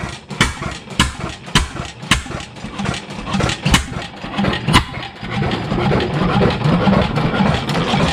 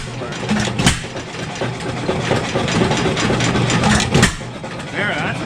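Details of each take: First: 7HP Stickney stationary engine started after decades of sitting: slow uneven firing thumps about two a second with a light knock on each stroke from the connecting rod; owner suspects a shim may need removing. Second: 7 HP Stickney single-cylinder stationary engine after decades sitting, warming up on choke set to hot, running rich with possible air leak; irregular popping firing and spaced bangs settling into a fairly even beat, running better.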